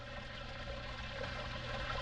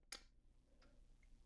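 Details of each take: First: Zoeller M267 basement sewage ejector pump: a steady low motor hum and water rushing out only after the float is pushed down by hand; the float no longer triggers the pump automatically, so the whole unit is being replaced. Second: New Zoeller M267 basement sewage ejector pump, replacing one that stopped triggering properly: one sharp, clean click as the float switch snaps over; normal float switch operation.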